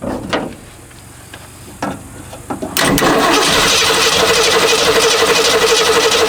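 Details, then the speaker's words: Long-neglected 1969 Mustang coupe: steady starter cranking at about four beats a second that never fires; owner suspects no fuel in the tank or a dead fuel pump, and what may be water was later found in the tank. "no either that or the fuel pump just doesn't work"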